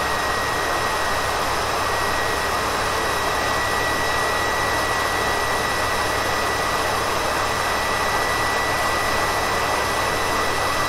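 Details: Faulty PS4 Pro with a clogged heatsink: its Nidec fan races with a steady, jet-like roar and thin whistle, peaking at 76 dB and averaging 74 dB; the fan also vibrated when spun by hand.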